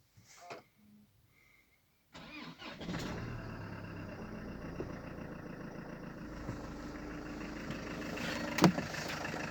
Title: FL2 Engine knocking